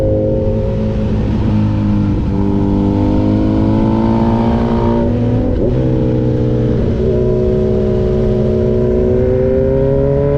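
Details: Honda track bike at a trackday: high wailing engine note under load that stumbles and dips about every second, a misfire cutting power; Power Commander V suspected, not confirmed.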